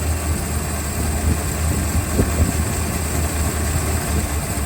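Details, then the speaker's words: 1964 Chrysler Newport after ignition fix with ballast resistor, jump box and start bypass wire removed: steady, even low rumble with no misses, knocks or surges; big-block idling smoothly on its own, charging. "Pulling my start wire. Yep, still running. Now we'll hook up the fuel pump again."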